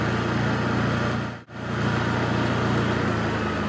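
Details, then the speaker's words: Honda EU3000is inverter generator with a Nashfuel propane/LP conversion kit installed, running on propane: steady, even small-engine drone with a smooth low hum and no knocks or misses; it runs cleanly. "Propane / LP conversion kit installed"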